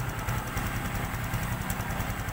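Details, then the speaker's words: Honda XRM125 FI idling after a general overhaul for oil starvation: new connecting rod, 0.50 oversize piston and rings, new O2 sensor; soft, even idle, quiet engine, good injector spray clearly heard, no knocks or ticks; normal idle. "Ganda ng buga ng injector. Rinig na rinig."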